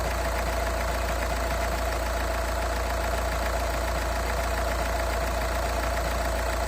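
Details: Cold-start knock on a Škoda (A5) 2.0 TDI 125 kW diesel at steady cold idle: a faint ringing knock repeating about twice a second under the clatter; cause unknown.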